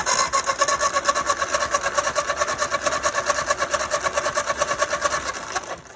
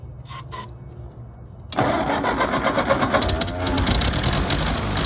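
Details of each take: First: Ford 9N tractor that sat for five years cranks at about four compression pulses a second without catching; points were just filed and adjusted with good spark, but the carburetor is off, so no fuel supply. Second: Ford 9N tractor that sat for five years, after carburetor reassembly, fires on ether with the gas tank off, catching at once and settling into a steady, even run; normal start.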